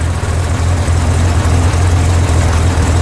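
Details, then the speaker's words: Corvair after a cold valve adjustment fixed a clacking valve: steady, deep, even idle with no ticking or clacking, running smooth. Normal idle. "thank god that's all it was oh look at that how smooth that's running"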